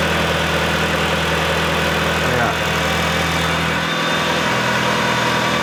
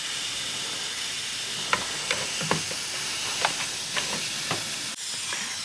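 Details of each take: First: Mitsubishi EVO, cold, at about 1500 rpm after a boost leak was found: steady, even idle with a smooth, quiet exhaust note. Before, it sounded like a rally car at idle; it now runs cleanly. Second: Mitsubishi Evo with hunting idle, homemade boost leak tester on the turbo, sealed system through intercooler to cold-side piping: steady sharp hiss with light taps; leak found with bubbles, air also heard from the blow-off valve.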